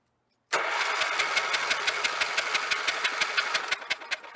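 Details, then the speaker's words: 1983 Avenger 400 ATV, Kohler K181 318cc 8 hp single, sat since about 1998, no fuel added yet, checking for spark: starter spins about three turns a second with even puffs and no firing; cranking, no start. "crank it see if there's spark well before we put the fuel in or crank and see if there's spark and then we'll put some fuel in there and see if we can get her to fire off"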